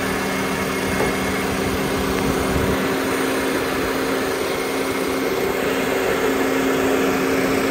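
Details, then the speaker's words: 2007 Honda Civic (8th gen), engine idling with the AC switched off. A steady idle carries a constant mechanical hum that stays on, and the air still blows cold. The AC compressor clutch is suspected stuck engaged, with the relay to be checked. "So what I'm gonna do, the AC compressor clutch must be stuck on, but have to check if that's the problem or not."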